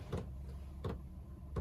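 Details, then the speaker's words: Chinese diesel air heater in a workshop, starting up with the glow plug heating: soft, evenly spaced ticks about every 0.7 seconds; the fuel dosing pump pulsing normally. "so now you can hear the pump saying the pump's now started"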